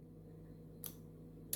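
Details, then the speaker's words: Relay in a battery, switch and series/parallel bulb demo circuit, after a missing relay ground was fixed: two crisp, sharp clicks about 0.7 s apart over a faint low hum as the relay pulls in and the circuit works normally. "you hear that so you hear a click and then the whole system this whole second now is functioning"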